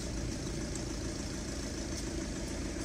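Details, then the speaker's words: Audi TDI diesel idling after replacing the intake manifold flap actuator/position sensor (fault P2015), car not run for a long time: quiet, low, even idle with faint steady rumble, no knocking or hunting; normal idle. "donc le véhicule est en train de tourner les relations fait un peu parce qu'il a pas tourné ça fait longtemps"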